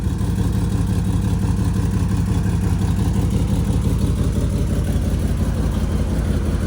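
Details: Alfa Romeo GTV before exhaust repair, at idle: deep, loud, rough drone with hard chuffing, far louder than it used to be; found a leaking exhaust gasket, loose and bad hangers, and bad test pipes.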